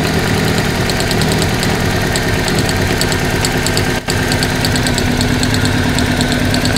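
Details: 1994 Toyota Celica, single ignition coil design, coil replaced two years earlier: uneven idle with low pulse and faint ticking from a severe misfire on cylinder two, showing intermittent weak spark, barely jumping the gap.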